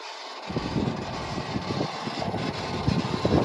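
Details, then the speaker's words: Kobelco SK200SRLC minimal tail swing track excavator with factory HVAC and full cab, running: engine rumble with an uneven fluttering whir and irregular rattly pulses as the air conditioner makes noise; cause unclear. "Hear the air conditioner making some noises there. It does have factory HVAC with a full cab."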